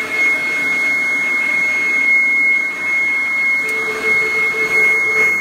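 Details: 1997 Kirby G5 upright vacuum fitted with a metal fan, run with the blower attachment: a high steady fan whine with rushing airflow hiss; it spins up cleanly and sounds like a vintage 500-series Kirby; normal motor running.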